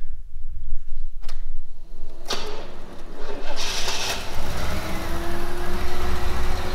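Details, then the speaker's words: Engine started after being partly reassembled, having been pulled apart by someone else: cranks, catches and idles evenly with no rattles or knocks; the motor is healthy, apart from exhaust leaks and a bit of smoke. "it lives motor sounds good there's no rattles or kns or anything there's um some exhaust leaks and stuff to sort out but other than that the motor itself actually s's pretty healthy"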